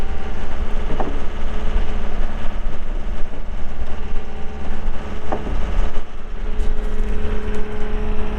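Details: 2020 Gehl V270 Gen 2 skid steer, 72HP Yanmar diesel, 3,145 hours, during operational run; deep, steady diesel rumble at constant speed with no knocks, misses or squeals, normal healthy running.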